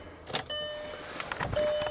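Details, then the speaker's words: Car turned with the key: only a key click and a dash chime, with no starter turning the engine at all on repeated tries. No-crank; owner believes the alternator is dead. "key we're gonna go over here put it in the ignition oh nothing try it again yet again nothing"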